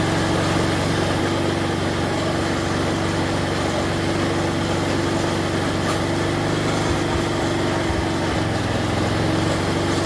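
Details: Snapper 4/22 vintage snowblower, small single-cylinder engine after repair of broken impeller and blown auger gearbox and bearings, restarted after freeing the throttle linkage: holds a steady, even speed without surging or over-revving, settled down; normal idle.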